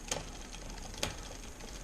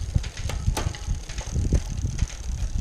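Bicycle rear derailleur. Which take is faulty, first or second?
first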